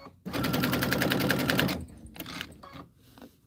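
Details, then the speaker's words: Sewing machine stitching a pillow: fast even stitching with a hard clunk each stroke, sounding rough; thread balled up underneath, upper thread apparently came out of the take-up, so upper is to be rethreaded. "That doesn't sound right to Something sounds clunky."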